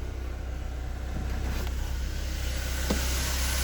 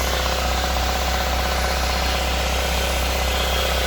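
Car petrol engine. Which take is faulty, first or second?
second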